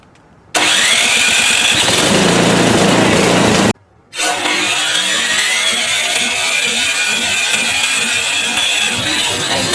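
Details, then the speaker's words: PowerSmart 24-inch gas snowblower, first start of the year with the choke on, primed three times and electric started. It cranks briefly, catches and pauses, then settles into a steady, even small-engine run with no misses; a clean cold start. "well electric started if it doesn't fire we'll put some more gas in and that should fire it up"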